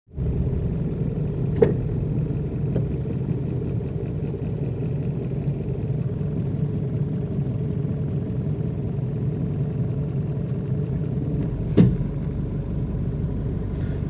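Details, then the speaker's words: Chevrolet Tavera: two sharp pops about ten seconds apart over a low rolling rumble, the sound of the suspension stopper releasing its grip. Minor and does not need suspension, ball joint or stabilizer rod parts; suspension bump stop pop. "ഈ കേട്ട ഒരു sound ഒരു പൊട്ടൽ പോലത്തെ ഒരു sound ഇപ്പോൾ നിങ്ങൾ കേട്ടിട്ടുണ്ടായിരുന്നു ഈ കേട്ട സൗണ്ട് സ്റ്റോപ്പർ വിടുമ്പോൾ അതായത് സ്റ്റോപ്പർ പിടുത്തം വിടുന്നതിന്റെ സൗണ്ട് ആണ്"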